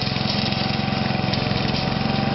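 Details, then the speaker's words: Toro 832 ride-on mower small single-cylinder engine starting after a new carburettor was fitted: it runs with a slightly lumpy, uneven beat, holding speed but not settling smoothly; rough running. "sort of running. Well, it's sort of got further than we did last time."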